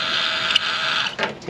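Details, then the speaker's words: Honda S2000 convertible top motor from a flooded car, bench-run: high, rough whir with gritty grinding that fades as it stops; motor is dying, while the replacement runs quiet. Convertible top motor grinding. "it I mean it's it's dying yeah look at it it's it's dying sounds like a rat yeah so although it's spinning it's not good"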